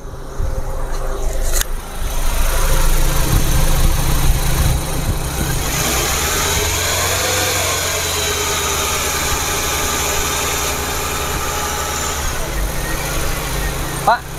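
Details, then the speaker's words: Nissan Serena C24, used car inspection: engine revved to about 2000 rpm, smooth, even note rising and settling back with no knocks, ticks or rattles; normal engine rev. "saya e gas 2000 aman ya aman mas tidak ada suara ini"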